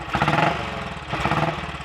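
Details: Royal Enfield Bullet 500 single, ported head, shortened aluminium barrel, 9:1 piston, ignition timing strobe-set, slow fuel flow noted, not yet fully warm: slow, even thump at tickover with no knocks or misses, clean exhaust; healthy idle.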